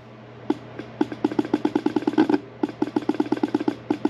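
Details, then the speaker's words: 1982 Fiat 124 Spider horn, reassembled and bench-powered from a power supply: dry rapid clicking and buzzing, five or six pulses a second, no horn note; rusted diaphragm moves but horn is a dud. Failed horn diaphragm. "yeah nothing we can hear that diaphragm moving up and down but it's not doing anything so this one's going to be a dud"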